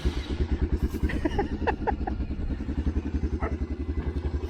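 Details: 1984 Honda Big Red 200 three-wheeler, restored after sitting about 25–30 years, with a new battery, a reworked gas tank and a carburetor. Starts quickly, slightly uneven single-cylinder putter that settles into a steady healthy idle, running like a top.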